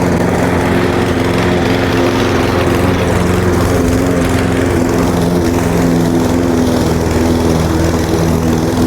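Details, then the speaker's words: Lawn mower after winter storage and fuel fix, cutting grass under load: strong steady drone holding speed, no surging or stalling; running healthy. "Oh yeah, no problem at all. Now she's making some horsepower."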